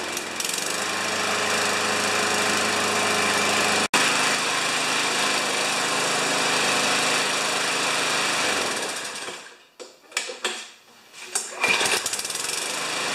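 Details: New Chinese-made 150cc mower (primer, no choke), first start: steady fast regular engine beat for about nine seconds, no rattle or knock, then winds down; running normally.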